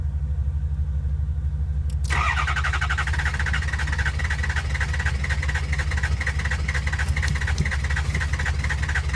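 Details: 2003 Ford F-250 6.0 diesel cranking with the ICP sensor unplugged: starter churns at a steady, even rhythm for several seconds but the engine never fires or picks up speed; crank, no start.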